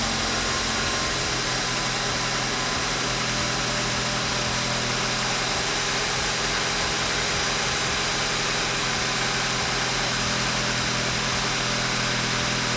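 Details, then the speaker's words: 2013 BMW F30 328i N20 after timing chain assembly replacement, not run for about 6 months, just after first start: steady, even petrol idle with no knocks or rattles over a constant hiss, no exhaust smoke; sounds healthy and settled. "that's what you want to see there's no smoke or anything at the exhaust either let's let it run for a bit and see what happens"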